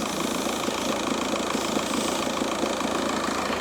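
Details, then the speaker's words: Car with the engine idling, after the ITV inspection: light, fairly regular ticking at about two per second from the belt drive side. The owner suspects the belt tensioner, which moves a lot, and plans to replace it before the alternator; not confirmed. "apreciáis el sonido suena el tensor escucháis suena el tensor va a ser el tensor el tema del sonido"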